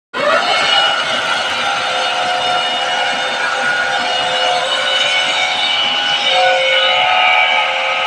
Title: 160 TR water cooled chiller compressor abnormal sound detection.